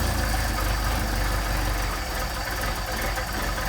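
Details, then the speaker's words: Mercedes 190SL with Solex carburetors, just after a cold start on choke: fast, even cold idle with a smooth steady beat and no misses or knocks, running cleanly. "That's how they should start. This car does not like to sit uh long time long term."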